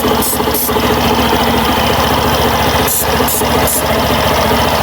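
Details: Suzuki Burgman Street scooter after the noisy CVT fixed: even idle with a steady drone and no rattle or squeal from the belt drive; the noise after cleaning had been from the belt.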